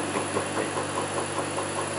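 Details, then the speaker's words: Land Rover LT230 transfer box on the bench, listened for at points on the casing: constant whir with a faint knock about five times a second, loudest at the intermediate shaft; ran hot, plans to strip it down again. "not here there is a little bit but it's transferring through not there not there but it is loud here right where the intermediate Shack is"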